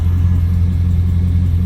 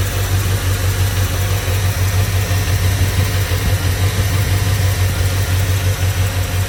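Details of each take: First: 2002 Chevrolet Silverado V8, misfiring and sitting eight months on old gas, idles with a deep, even rumble and no stumbles after injectors were cleaned; owner thinks dirty injectors caused the misfire. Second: 2002 Chevrolet Silverado V8 idling with valve cover off, a loping, uneven misfire beat; truck sat eight months on old gas, and the injectors were found dirty and cleaned as the misfire cause.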